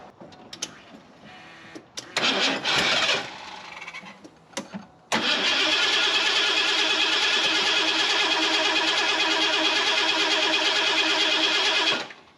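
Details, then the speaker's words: Fuel-injected Ford F250 that sat several years: some knocking, then seven seconds of cranking at about three turns a second, no start. It has fuel, smells of old fuel, and did fire; something is suspected to be disconnected. "Well, let's move the timing a little bit. I know it's getting fuel. It did fire. I still feel like they disconnected something that I can't figure out."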